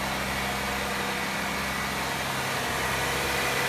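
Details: 1994 Buick Regal, Series 1 3800 V6 with 4T60E automatic, started after sitting over winter, before transmission fluid and filter service, no check engine light: steady, even idle with smooth hum, no knocks or misses; runs normally.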